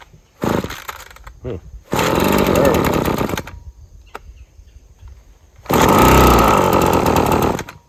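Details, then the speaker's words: Husqvarna string trimmer with sticking trigger and frequent cut-outs: rough two-stroke bursts that won't climb at part throttle, falling back to lumpy idle, only runs at full throttle; carburetor suspected, possibly water in fuel. "Yeah, that's it. Part throttle and don't want to do anything."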